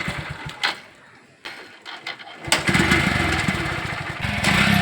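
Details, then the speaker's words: Motorcycle that kept stalling on the road, started right after its worn spark plug was replaced with a new one: a few dull sputters, then catches and settles into a steady, even single-cylinder beat, starts and runs fine. "Bineesh bike സ്റ്റാർട്ടാക്കാൻ പോവാണ്."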